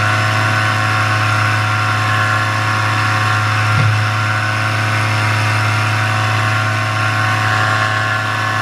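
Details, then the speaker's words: Paramotor in flight, throttle held wide open: loud, steady buzz with constant pitch and no surging or dropouts. This is the normal full-throttle baseline, recorded before the engine later began losing power and bogging. "And I'm keeping my throttle all the way open. You hear the RPMs, they're staying steady."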